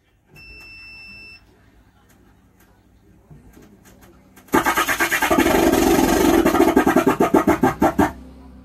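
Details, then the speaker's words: Stranger UB 75T 12 V 75 W amplifier on AUX input; as volume rises output becomes a harsh, crackling, unclear roar pulsing about three times a second; finding: bias voltage too low. "आवाज में clarity नहीं है आवाज बिल्कुल खराब बज रही है बिल्कुल पता ना कैसे आवाज आ रही है"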